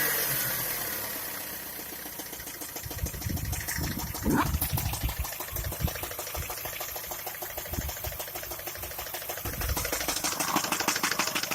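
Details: Skoda A5 (Octavia) 1.6 MPI at idle, owner asking what the problem is: a light, uneven ticking knock, about three per second, over a steady idle. Engine knock, cause unknown.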